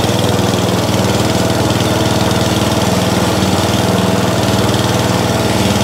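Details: Atco Balmoral mower bought as spares or repair for not starting, running on throttle: steady, even single-cylinder putter of about four beats a second with no misses, healthy; the drive still does not work.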